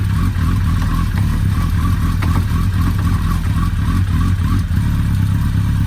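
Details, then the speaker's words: Suzuki Hayabusa after repairing a loose clutch pressure-plate screw that freed a spring: steady even low rumble at fast idle with no knocks, rattles, misses or leaks; repaired, normal running. "tout s'est bien passé le remontage nickel il n'y a pas de fuite tous répondent correctement donc on peut dire que c'est réparé"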